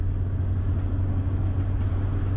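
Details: Ford Transit van above 50 mph after the doors were bent to seat against the seals. Steady low road rumble, with the wind whistle still faintly present but nowhere near as bad. Much quieter cabin.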